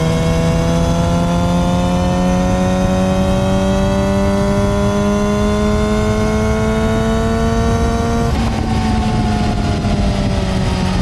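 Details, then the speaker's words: Yamaha R6, 25,000 miles, new chain and sprockets, after swapping the solid metal front sprocket for a rubber-dampened OEM-style one; riding, GoPro mounted, engine pulls smoothly with pitch climbing, only a faint hint of drivetrain whine, quiet healthy chain drive. "Now on camera, you can still hear a little bit of the engine whine, or I would say like drivetrain noise. As a rider, I can just barely pick up just a hint of it"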